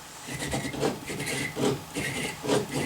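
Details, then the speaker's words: Brose S/T e-bike motor during overhaul, belt off, pulley spun by hand: gritty, rough rasp swelling about once a second with each turn; worn bearings throughout, nearly every bearing later replaced. "we can spin this pulley wheel and you'll hear that this motor has got a few problems"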